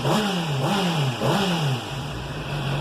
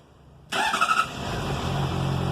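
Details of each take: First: 2007 Honda CBR 600RR at 17,400 km, warm at 91° after an oil change: three quick throttle blips, then a steady, even idle with no chain rattle. The earlier noise was diagnosed as the cam chain tensor, and the owner expects it may return. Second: 2007 Honda CBR 600RR, about 17,400 km, cold start: catches with a brief metallic clatter, then settles to steady idle; workshop diagnosed the cam chain tensioner.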